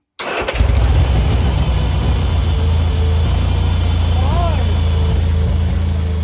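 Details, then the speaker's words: Turner Ranger four-wheel-drive tractor, 1098 A-series petrol engine, sat six months, after cleaning sooted wet plugs, choke off: brief crank, catches and settles into even idle, steady low thrum, no misses; starts and runs fine, battery weak. "well as you saw there it started in run fine"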